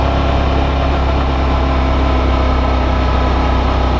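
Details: Brand-new Suzuki V-Strom DL650, comparison test ride against owner's white bike suspected of engine knock: steady even low engine drone at constant road speed, no knock or tick; normal running.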